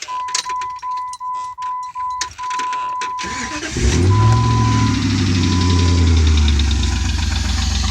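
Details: 2001 Jeep Grand Cherokee 4.7 V8, after dying at a red light and being towed: a warning chime, cranking and a start, then an idle with a light, rapid tick. Lifter, flywheel, timing chain or rod knock is suspected, unconfirmed.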